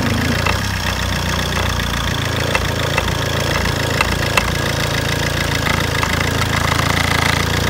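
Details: Fiat Albea 1.3 Multijet diesel at idle: a sharp knock about twice a second over the rumble. The cause is still to be found.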